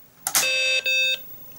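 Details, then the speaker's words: BBC Micro Model B after power-supply recap and removing a faulty DFS boot ROM chip: clean, high, steady beep with a brief break, then silence; the computer now boots normally. "yes that sounds far better and I think we need to plug this into some kind of a monitor"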